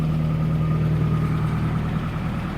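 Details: 1995 Nissan pickup cold-started after sitting about a year and a half with a new battery, engine rebuilt about two years ago: steady low drone with a faint light rattle over it; the owner suspects a worn timing chain; timing chain rattle.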